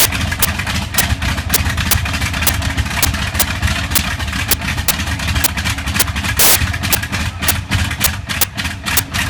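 Deep rough radial running with irregular sharp cracks breaking the beat every second or so, pointing to a slight misfire.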